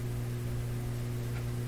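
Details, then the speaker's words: Rogers Majestic 4511 tube radio back in its cabinet at full power: loud steady low mains hum, constant throughout and more pronounced; rectifier tube 80 ruled out, cause still unknown. "yeah the hum is much more pronounced much much more pronounced"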